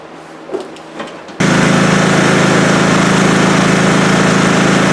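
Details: Scotts 1642/1742 riding mower after spindle, pulley and belt repair on the noisy deck: engine catches and settles into a loud, steady, even run with the deck engaged, no rattle, squeal or knock; mower healthy.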